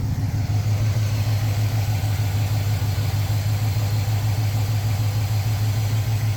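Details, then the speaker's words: Hot carbureted engine after mixture screws were set a quarter turn richer than the first onset of highest vacuum, AFR about 13.5: smooth, even, rock-steady idle with no hunting or misses. Normal idle. "Just about 13.5, and look how rock steady that is. Pretty darn good."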